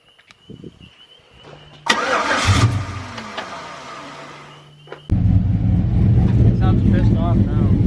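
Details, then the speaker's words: Cammed 5.3 V8 truck at first start after the big cam install: cranks briefly, catches, then settles into a loud, deep, choppy lope. It earlier ran on only 4 cylinders, was plugged back in and now fires on all 8, running decently. "Yeah, that sounds a lot better. Yeah. I was gonna say something ain't right All right, got it running decently."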